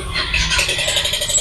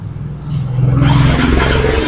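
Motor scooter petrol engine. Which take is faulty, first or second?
first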